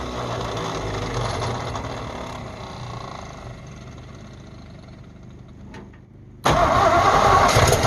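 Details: Abandoned 1948 Ford F5 bus, first start after sitting 25 years: tired engine idles unevenly at low speed, then a sudden loud rise as it catches; smoky, carburetor needs rebuild, throttle linkage unhooked, needs tune-up.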